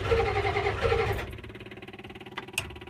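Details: IDI diesel at 60°F, glow plugs on 8 seconds, started about 5 minutes earlier: runs rough briefly, then slow even cranking about four beats a second without catching; hard starting.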